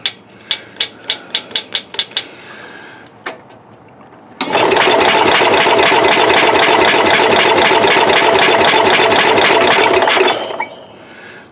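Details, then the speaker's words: Cub Cadet 108 tractor, cold in the mid 30s, after a shot of brake cleaner, no spark at all: a few sharp ticks then steady fast cranking about four per second for six seconds that never catches; suspected worn ignition points. "we're not getting any spark at all now i don't know if it's because of that brake clean or what"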